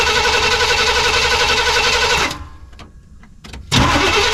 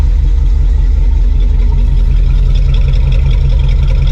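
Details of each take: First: Suburban V8 with a new Evil Energy 600 CFM carburetor, warm. The loud running engine dies to near silence after the carb floods, a couple of clicks follow, then it fires straight back up and settles. Owner plans to lean the choke. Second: Suburban V8 with a newly fitted Evil Energy 600 CFM carburetor, idling. Deep, steady rumble with an even, unhurried beat and no stumble or hunting. No rich fuel smell, choke works. Normal healthy idle.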